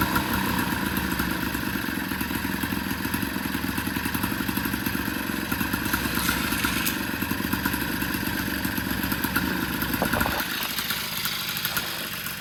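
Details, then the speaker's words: Rebuilt 1983 Honda Aero 80 two-stroke scooter on one of its first startups after work on fuel issues: busy, crackly buzz at a fairly steady fast idle with light rattle; the motor runs normally. "And yeah, I think it's working. Okay, so this is some of the first couple startups."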